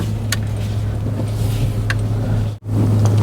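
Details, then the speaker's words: 2005 Suzuki Aerio facelift, engine running: a steady low hum holds level with no knocks or ticks, and it is not the AC compressor. It is traced to the fuel pump, possibly a non-original replacement pump. "ada suara berdengung ini sih bukan kompresor AC mudah-mudahan di microphone terdengar"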